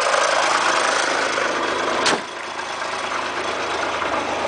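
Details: 1990 Acura Legend at idle: loose, uneven ticking roughly three times a second over a raspy hiss that persists after revs drop; owner asks what causes it, cause undetermined.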